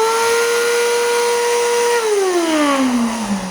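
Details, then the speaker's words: Three-year-old 2021 Bissell AeroSwift Compact upright vacuum, model 2612: loud high siren-like whine, steady then sliding down as motor spins down; bad, worn motor suspected, needs servicing. "yep sounds like a siren damn that really sucks"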